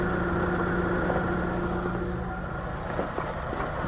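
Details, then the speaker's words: 2011 Chevy Aveo 1.6L smoking coolant from the tailpipe, cylinder 1 and 2 misfires: idles unevenly with a faint stumble while the cooling system keeps pressurizing; suspected blown head gasket or cracked head, unconfirmed. "it looks like it's building pressure in The Jug yeah because uh [ __ ] uh compression it's kind of blown head guys it's pressurizing the cooling system pressure again on it"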